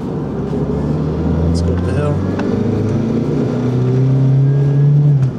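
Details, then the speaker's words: Chevrolet S10 pickup with manual clutch, driving downhill and accelerating, shortly before EV conversion: engine note climbs with a faint whine riding above it, source unclear; whining noise while driving. "tires have decent tread you hear that whining sound maybe"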